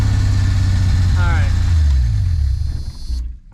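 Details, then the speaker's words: 1974 Plymouth Duster slant six with 904 transmission, sitting since 1987, first run after priming with fuel: settles into an even, steady idle with no misses or pops, then is switched off because it has no coolant; runs healthy. "but hell it runs it runs good too wasn't it backfiring or nothing hell yeah"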